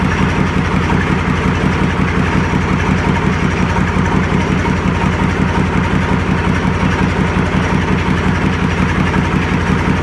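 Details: YaMZ-236 diesel, first run after full overhaul on a makeshift test stand with pressure being measured: deep steady idle, even low beat near three per second, no knocks; smooth and healthy.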